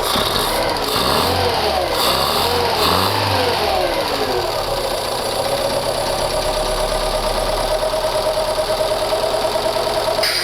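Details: Fiat Panda CLX engine just reassembled after cylinder head work, first start with airbox not yet fitted: rough, uneven revs for a few seconds, then a steady, even idle with some intake roar, a bit loud; running fine.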